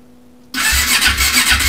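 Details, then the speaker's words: 1996 Honda CB500, unrun for over 6 years, cranking on the starter before fuel is added: a lopsided, galloping chuff of about three uneven compression beats a second that never fires; uneven cranking compression. "St works did you hear that compression then got a bit of a Gallop to it"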